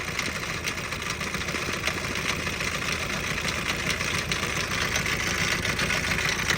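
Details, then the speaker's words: Auction Isuzu diesel engine test run: loud, uneven clattering rattle over rough idle, about two knocks a second; sounds blown up with blow-by; engine rattle at idle, cause unknown. "so I don't know if you can hear that but that's some loud rattling probably tighten this down"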